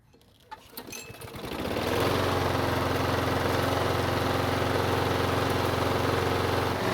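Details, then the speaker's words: Craftsman push mower with auto choke after basic carb service, cold start: starts first pull, settles within two seconds to steady even drone with smooth firing and no misses; normal running. "thank you so even after a basic carb service it started with no issues on the first pool mind you which is pretty good for an auto choking system"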